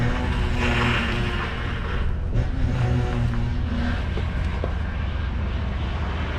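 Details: Ford F-150 with oversized power steering reservoir, running after fluid refill while cycling the steering: low wavering groan over the engine, rising as the wheel is worked; air bubbles in fluid making pump cavitate, quieting as air vents.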